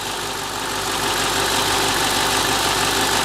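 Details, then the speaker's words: BMW E64 6-Series N62 V8 after 500 yards with zero oil pressure, new oil and filter: even busy idle with light top-end hiss, no big-end or main bearing knocking, no weird noises. "there we go that sounds lovely by the way that's perfect haven't got any worries about that at all no weird noises or anything so yeah I'm happy with that"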